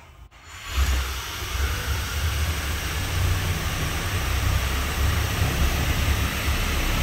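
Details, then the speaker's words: Brand-new Rotec R2800 radial for a Kitfox, first test run: catches within a second into a deep, steady, even rumble; oil pressure about 400 kPa, expected to drop to about 300 kPa once warm, normal; fuel pressure good; healthy start and warm-up idle. "and the oil pressures come up once the oil pressure gets the temperature that'll drop down from about 400 there down to about 300 kPa which is very normal"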